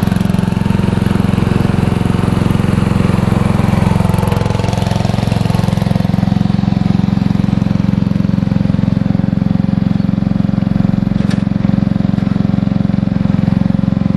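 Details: Free riding lawnmower, a little dusty, obtained from someone's property, started up to ride around: steady, even low thrum with a regular beat around 220 a minute, no knocks or misses; normal running.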